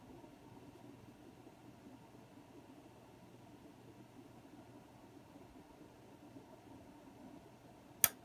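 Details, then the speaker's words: Technical Pro RX503 1500 W stereo amplifier powering on: steady cooling-fan whir, faint hum, then a sharp relay click near the end; fan and relay working normally. "so here we go when I power it on awesome and I hear the relay"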